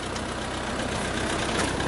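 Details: 1952 Ford 8N tractor started from bone cold, generator charging: steady, even idle with low mechanical chatter and no knocks or misses; healthy running.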